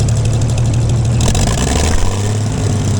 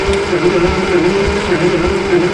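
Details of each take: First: Gleaner combine gasoline engine after its first start following a carb rebuild, starter rebuild and two straightened push rods. Steady, even low idle with a slight settle partway and no knocks or misses. Runs better after blowing exhaust debris, suspected a mouse nest; normal idle. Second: Gleaner combine gasoline engine with a rebuilt carb and starter, cranking with the choke held shut. Even starter whir with a beat about every half second, never firing. No spark found; owner suspected the coil, but a simple coil test then produced a spark.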